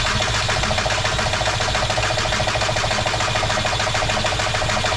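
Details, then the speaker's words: MK4 VW TDI with a replacement ALH diesel engine cranks with steady starter whine and even pulses but never fires. Injection quantity is stuck at 50 mg per stroke instead of about 4.5, and injection timing can't be set correctly. "Okay, so the car will not start. I cannot get the injection quantity to come off of 50 milligs per stroke."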